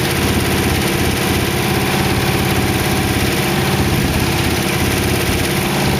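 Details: Warm idle on a 1914 Dodge T-bucket roadster V8 with carburetors after first start: steady, even, smooth low rumble with no knocks, ticks or misses. Good oil pressure; the lifter tick heard at startup had calmed down.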